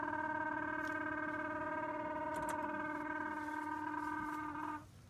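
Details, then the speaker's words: Mercedes T1N Sprinter auxiliary (REST) coolant pump switched on: steady buzzing hum with harsh rattling edge, then cuts off; chattering, failing auxiliary water pump that can cause running hot. "That, boys and girls, is a chattering rest pump. That's what brought all this conversation into life, and I thought I had swapped that a year ago."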